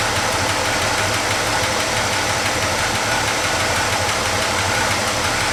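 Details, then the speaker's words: Chevy C10 pickup V8 after complete wiring harness replacement, idling better than before; fast light valvetrain tick, rocker arm needing adjustment on cylinder 5 or 6, plus faint belt squeak; needs a tune-up. "it needs a little bit of tune-up you can hear the belts squeaking a little bit I gotta I know I've got a couple rocker arms that need to be adjusted"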